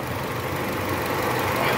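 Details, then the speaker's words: 2012 Nissan Sentra 2.0 16V petrol after replacing an air-flow hose causing a false-air leak (P0102, rough stalling idle) and cleaning the throttle body: smooth, even normal idle with A/C on, no check-engine light. "ó lá o RPM tá normal baixou perfeito ar condicionado ligado dando carga motor estabilizado trabalhando"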